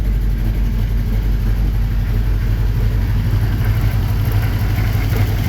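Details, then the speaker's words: 1954 Chevy 3100, cold, with a little rev: lumpy idle with a deep, uneven thump that skips a beat, one cylinder not firing; owner unsure which, plans to check injectors and plug leads. "Firing on one of the cylinders. I don't know which one. We'll have to check the injectors. Like every now and then I hear it hit."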